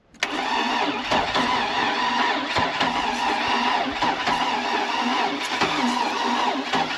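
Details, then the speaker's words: Oldsmobile Bravada that sat a while, crank no start, injectors tested good and extra fuel added; starter spins with uneven light whirr and odd timing cadence, never catches. "I keep hearing this weird noise. I don't know what it is. Outside of the crappy cadence on the timing."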